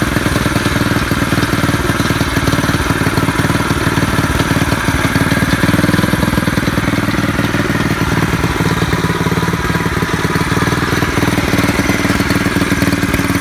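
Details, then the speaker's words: Predator 212 single-cylinder engine on a bicycle with jackshaft, torque converter and 7-speed transmission, custom exhaust wrapped in motorcycle exhaust tape, first test run: steady even low-rev putter, no knock or miss, not too loud; normal running. "I want you to hear it run because it's not too bad, not too loud."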